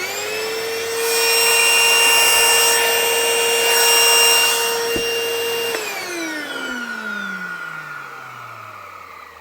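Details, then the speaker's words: 1980s Hitachi 790 (1300 Powerhouse) bagless cylinder vacuum, first run before refurb: loud, steady high-pitched screech riding on the motor whine, falling in pitch during spin-down after switch-off; terribly screechy, consistent with a dry, worn motor bearing. "oh that definitely sounds very screechy doesn't it terribly screechy right unplug"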